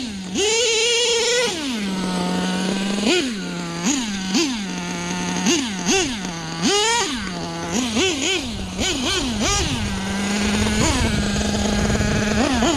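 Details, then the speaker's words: Nitro LST RC truck with rebuilt carb: buzzy high idle with about a dozen sharp throttle blips, running super lean at the bottom end; owner suspects the carb, plans a new one. "You can tell she's just running super lean, at least on the bottom end. Definitely loves to wheelie."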